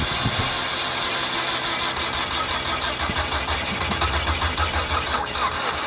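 Starter churns at about three beats a second but the engine never catches; it won't fire because the timing had slipped.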